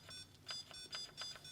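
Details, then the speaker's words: RIDGID 18V Hyper Octane Bluetooth battery pack, locked via the app, inserted in a reciprocating saw beeps rapidly at about four beeps a second with no motor running; the locked battery won't power the tool. "Now, I just put this in. Check it out. It's locked. Listen to it beeping."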